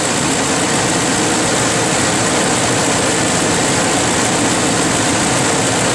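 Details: Ford F-150 V8 after replacing stuck VCT solenoid and sensor to fix rough idle: smooth, even idle with steady low rumble, no stumble or misfire; sounds healthy.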